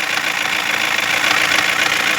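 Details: 2016 Toyota Corolla at idle, engine assembly already replaced, knocking worsening since yesterday: light fast ticking knock over thin hissy idle; unchanged with a connector unplugged, wiring checked OK; mechanic suspects the engine computer, plans replacing it; cause unconfirmed.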